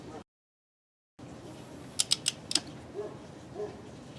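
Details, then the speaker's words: New Tekton 24335 1/2-inch drive click torque wrench (10–150 ft-lb) tightening a hand-threaded fastener: four crisp metallic clicks in quick succession, showing the wrench breaking over at its set torque. "See, when you hear that click, I don't know if you heard it, that means it's at the right torque."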